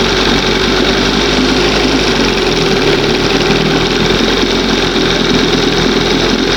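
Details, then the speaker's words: 1971 Johnson 20 hp two-stroke outboard, warm, after a crankshaft seal test: buzzy, busy, slightly uneven run; owner says the seal wasn't the cause and it still sucks air somewhere once warm, leak location unconfirmed. "Once it warms up, it starts you know, it's still sucking air somewhere."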